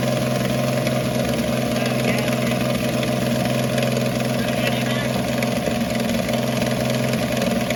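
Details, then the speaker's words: 1965 Ford Falcon on a temporary gas-can fuel line after sitting for years, smoking up the shop: fairly steady mid-pitched idle with slight unevenness; running pretty good after long storage. "If you'll hang in there with me, the old thing actually was running pretty good. Smoked up my shop like crazy where it had been sitting all those years before it ever really ran."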